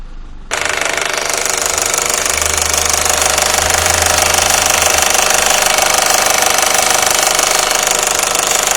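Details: 1.8T AVJ engine at warm idle: a steady, sharp, rattly knock about three times a second, heard between 800 and 1200 RPM from behind the engine. Owner suspects the cam chain tensioner or oil pump; unconfirmed.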